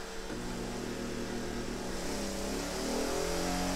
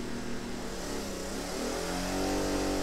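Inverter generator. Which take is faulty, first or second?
second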